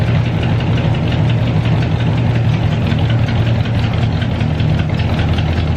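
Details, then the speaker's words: Pontiac Catalina idling after the exhaust was partly tightened: rapid ticking puff on the low rumble in time with firing; still has an exhaust leak, needing more tightening. "she's better but she still has the leak so I got to go back under and tighten it a bit more"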